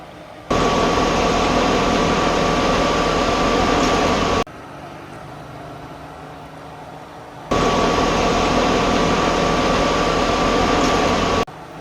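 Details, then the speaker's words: 1955 Willys Jeep CJ-5 heater blower, key on, full blast after adding a ballast resistor so the switch no longer overheats: smooth, even whir, steady mild tone, no rubbing or scraping; blower healthy. "So, that's basically full blast right there. And it's still actually spinning pretty quickly and pushing a lot of air,"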